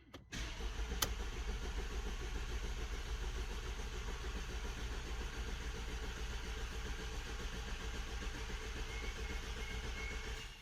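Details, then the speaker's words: Mercedes W212 diesel after timing chain job, started on a jump pack after priming fuel to clear an airlock: catches and settles into a steady, even idle with no misfire or stumble; running fine. "Woo! Oh yeah! Just gonna turn it off a second. Oh baby! It started! It started!"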